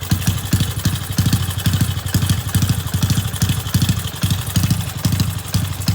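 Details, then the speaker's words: Thai motorcycle with original cylinder bored to 28, short-stroke crank and remapped stock ECU at idle: small single lopes with light rattling chatter from the original cam chain, not yet replaced, so it is noisy. "เรือนเดิมคว้าน28ใส่กองเลทสั้นนะครับเสียงโซ่ราลิ้นยังไม่เปลี่ยนนะก็ก็ดังหน่อย"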